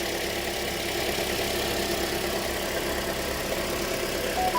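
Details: 2007 Toyota after fixing a crank-no-start problem: steady, even idle with no knocks, misses or surging, settling smoothly; normal idle.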